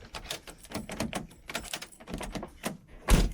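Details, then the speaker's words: BMW E36 coupe central locking after being fixed; previously it locked only one door. Quick cluster of sharp mechanical clunks from both doors ending in one firm thunk; central locking now working normally on both doors. "So before, this would just lock my door, but now you can hear it locks both doors."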